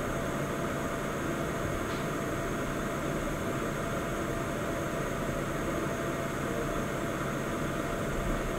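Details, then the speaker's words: Pixapro LED100D MKII light after replacing the noisy fan: steady airy fan rush with a faint constant thin whine; most noise suspected to come from circuit board components, possibly coil noise, not confirmed. "the fans are not quiet so there will be some noise but most of the noise is coming from the circuit board inside of the light from the actual components"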